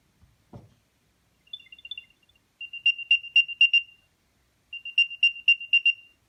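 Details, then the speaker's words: Previously unresponsive Apple AirTag after factory reset by removing and reinserting the battery: clear high chirps in groups of five, repeating after a pause; the different beep on the fifth reinsertion signals the reset, then the find-me sound plays normally. "This different sound means that the AirTag has been reset."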